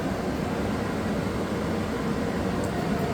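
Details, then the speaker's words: Suburban propane furnace in a Dynamax RV before modification: steady loud rushing air roar coming straight through the open return air grille, loud on decibel meter; excessive blower noise, later reduced with acoustic panels. "so you will see how loud it is and you can see the deal meter reading here and this is pretty loud"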